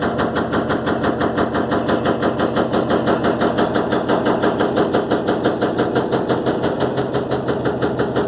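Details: Electrolux LTE12 washing machine suspension test: loud, very regular thumping of about three beats a second from the drum as it turns. Drum knocking, cause unknown.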